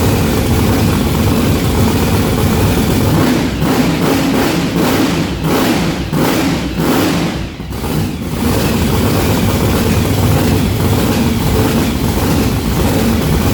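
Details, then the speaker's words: Blown, mechanically injected big block on methanol, first start: rough, uneven idle, loping pulses with no steady beat; front two cylinders not firing despite fresh plugs, new wires and a compression test; cause not yet found. "So we have a little issue on our hands. All these cylinders are firing except for the front two."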